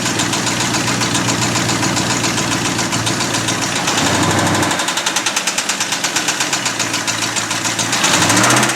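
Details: Abandoned 1989 Ford F250 5.8L V8 started on a new battery after fuel injector wire repair, never revved, throttle thought faulty: a rough idle with a loud, uneven knock around three to four per second; cause not confirmed.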